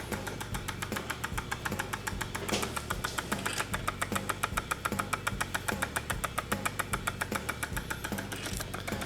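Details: Lemax Ghoulish Gourd Pub & Grill, new out of the box on its supplied adapter; sharp regular click about twice a second over the tune as the motor turns, caused by debris in the gear track, repairable.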